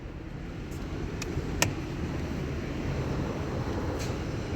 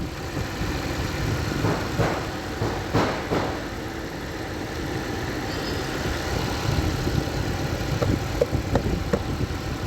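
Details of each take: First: Toyota Camry Hybrid, driven over 200,000, code P030085 random multiple cylinder misfire: rough uneven idle with irregular low rumble and sharp ticks, blamed on a dirty injector; planned fix is injector cleaning and filter change. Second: Toyota Camry Hybrid, over 200,000 km, after P0300 misfire fixed by cleaning dirty injectors and replacing the fuel filter: petrol engine idles smoothly with a steady low hum, no misfire stumble, a few light clicks.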